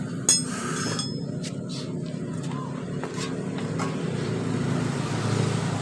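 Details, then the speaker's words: Honda Grand motorcycle engine after the cam chain tensioner was pumped full of oil and refitted: even idle with a steady low rumble. The earlier cam chain ticking is gone. Normal idle. "kita hidupkan kembali jadi suara dari rantai kecilnya tadi sudah tidak ada ya teman-teman"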